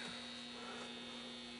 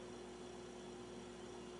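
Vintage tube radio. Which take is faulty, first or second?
first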